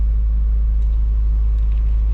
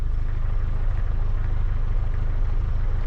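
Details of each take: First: Truck after transmission rebuild, idle set screw adjusted higher, in slight high idle mode: steady, even low rumble with no misses or knocks; idles smoothly, a touch high, healthy. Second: Truck with rebuilt transmission, warmed up, carburetor idle at factory setting of one and a half turns out: deep slow thrumming idle with soft uneven pulses; idle a bit too low, may be adjusted faster.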